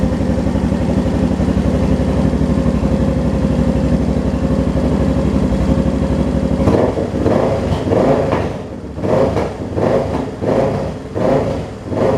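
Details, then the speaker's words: Suzuki DR650 single-cylinder, previously running rich, after main jet change and needle adjustment: steady, even idle thump, starts without touching throttle, crisp throttle blips returning cleanly; engine running healthy. "Seems to start up really good now. Don't have to touch the throttle."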